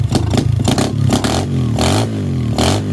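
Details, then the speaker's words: 125cc pit bike with new 26mm Nibbi carburetor after swapping jets, possibly still cold: each throttle blip stumbles before revs rise, then falls to a rough idle; off-idle bog. "All right, after swapping out the jets, I'm gonna try it again. It still sounds like it's bogging out."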